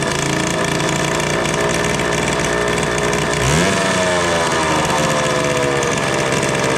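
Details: 1974 Indian ME100 barn find on its first run after sitting: a fast, steady small-engine buzz with one quick blip, idling too high; the spark plug is temporarily serving as the kill switch.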